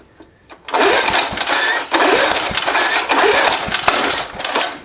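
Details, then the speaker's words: Old Briggs & Stratton lawnmower after valve cleaning, with a leaking gas tank: catches and runs ragged and uneven with sharp backfire pops on starting; owner suspects the carburetor needs work, then cleans the spark plug. "Oh, she backfired."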